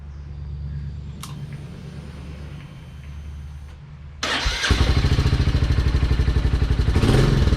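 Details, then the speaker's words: Royal Enfield Classic 350 single started just after an oil and filter change, level correct in the sight glass: fires up into a steady, unbroken thumping idle about four beats a second; runs normally. "That sounds fairly good. So that was the oil change. Very good."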